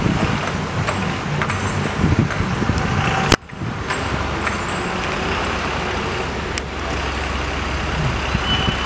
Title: Why AC bus & AC Tempo traveler make this hissing noise | kindly observe & comment your opinion